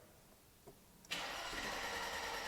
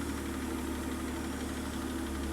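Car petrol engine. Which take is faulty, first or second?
second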